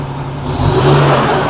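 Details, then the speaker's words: Nissan R31 with RB30 engine, idle slightly rough, then a quick throttle blip gives an uneven, gurgly note; ignition misfire, plugs checked first. "it does sound a little bit rough but still sounds all right soon as I try and give it any kind of throw here it's I don't know if you can pick it up on video but it has got a very rough idle very rough kind of throttle it's got that real gurgly"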